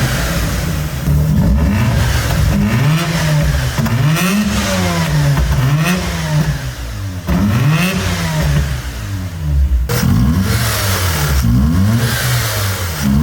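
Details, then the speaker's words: Mazda RX-8 Shinka edition, 13B rotary engine, 6-speed manual with LSD, bought at auction: revved repeatedly, pitch rising and falling smoothly with no knock, rattle or vibration; healthy engine. "This is the sound of a living 13B, an engine that spins different from any other, smooth, linear, no vibration. This rotary engine isn't just alive, it's healthy."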